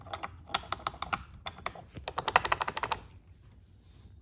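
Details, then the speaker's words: 2018 Ford Mustang GT (S550) with aftermarket coilovers and suspension work: sharp, irregular plastic clicks about six a second from loose door panel clips, with creaks over bumps. The fix used polyfill stuffing. "so one thing I found on them is these clips where it clips into the actual door you can hear that and they're all pretty much the same"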